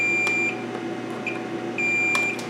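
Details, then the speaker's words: 25-inch K7000 arcade monitor chassis that was blowing fuses, output transistor tested out of circuit with a meter expecting about 0.5 on one leg and open on the other; instead a steady continuity beep shows it is shorted. "if this reads good one leg will read point five and the other leg will be to open of course if it's not it'll be shorted [Music] it is"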